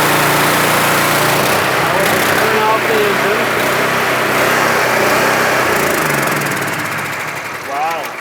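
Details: Gas-engine pressure washer with a 4.3 gallon-a-minute pump, being diagnosed for low pressure (over 1,000 psi low even with a new number 4 nozzle). Steady small-engine drone with an even pump beat of about four pulses a second, running smoothly and fading near the end. Normal running.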